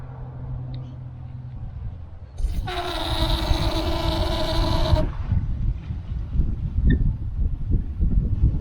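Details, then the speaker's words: Very old outdoor garden water tap: loud steady horn-like hum for a few seconds as water flows, not hammering; caused by an old faulty vacuum breaker, fixed by replacing it with a new DURA vacuum breaker. "Over the last few years, when I turn this tap on, it makes a humming sound. It's not a hammering sound, it's a humming sound."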